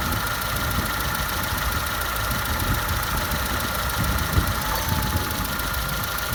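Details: 2002 Citroen C3 petrol at idle: dull, fairly regular rhythmical clunk from the right side of the engine (as seen from the driver's seat), diagnosed as the A/C compressor clutch.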